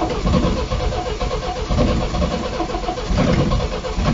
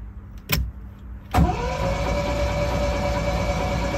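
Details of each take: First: Long-stored MGB GT restart after cleaning out a mouse-eaten air filter: the starter churns on with a rhythmic, labouring beat for several seconds before the engine catches; long cranking. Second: Long-stored MGB GT being recommissioned: after a click, the starter spins the engine with a steady, even whir and no knocks while cranking to build oil pressure; the oil pressure comes up fine.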